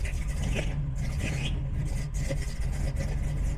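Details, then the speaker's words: Big-cam engine just fitted with Aces Killshot Fusion fuel injection, just after first start: deep, uneven loping idle with choppy low rumble; the big meaty cam makes it run like that, normal. "Fires right up, and it does have a big meaty cam in there, so it does run like that. And it's really cool at a traffic light when you're heading to a car show and that thing's just sitting there beating the pavement around you."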